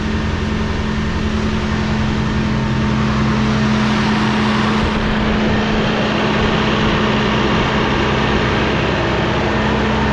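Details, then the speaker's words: Rebuilt Cummins ISL9 (in-frame rebuild after dusting), warming up, idle raised about 100–200 rpm via cruise with engine brake on: steady, even clatter, no knocks or misses. A slight labor came from the air compressor cutting in when the dryer purged. "And I set the cruise and bump the idle up. Engine brake on, idle increase. That's it. Really? That's all you're gonna give us is that? About a 200 RPM or 100 RPM increase?"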